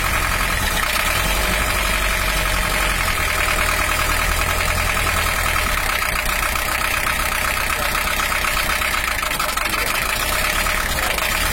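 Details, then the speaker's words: Toyota Hiace LH-11 diesel, just restarted after refitting the injection pump and its broken bracket, still cold: harsh, clattery rough idle with a constant hard rattle; injection pump setting not yet right, oil pressure normal at 5 bar. "suaranya masih kurang pas ada Habib Assegaf Perry menyerempet sama trek terus untuk suaranya masih kurang pas jalur nanti kita cari lagi"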